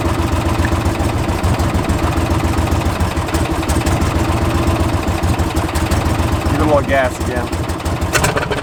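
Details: 2016 John Deere Gator XUV 550 project, cranked with foot on brake and no throttle; steady rhythmic starter chug turning the engine for several seconds without catching; hard start.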